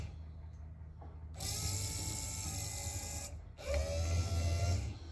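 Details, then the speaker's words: 1964-66 Ford Thunderbird convertible rear quarter power window mechanism after reassembly with spring removed, bench-powered: two short runs of steady, even motor whine, no spring clatter or binding; normal operation. "i like that i like that a lot very good customer will be happy"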